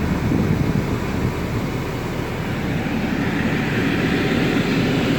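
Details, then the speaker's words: 2011 Mini Cooper blower motor after a quick-fix repair, tested with engine idling on low fan to the upper vents then defrost: smooth, even rush of air with no rattle or squeal, normal blower operation. "okay it's blowing up the uppers and now let's turn it up to the defrost"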